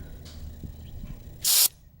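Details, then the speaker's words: Engine off on a 2007 American Ironhorse Legend chopper with air-ride suspension: pressing a bleeder valve gives a sharp quarter-second hiss of air released from the front or rear air cylinder. This is a normal bleed. "And then you have bleeder valves over here, and you can press that to let out a little air from the front or the back cylinder, and you can hear it"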